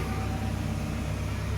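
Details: Sumitomo SH excavator diesel, just restarted after repair with no errors; deep, even rumble, steady beat, no knocks or rattles, starts instantly, about 1600–1800 rpm in A/H/SP modes, pump pressure normal; healthy idle.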